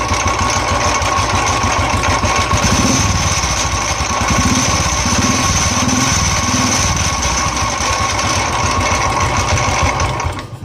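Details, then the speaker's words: Royal Enfield motorcycle at idle after self-starting, starter very noisy: uneven thump inside the engine around four per second that comes and goes, like something striking internally. "ये देखो कितना अजीब साउंड था और अब भी देखो इसके अंदर साउंड स्टार्ट होने के बाद भी इसमें साउंड आ रहा है, एक जैसे कोई चीज़ टकरा रही है इसके अंदर।"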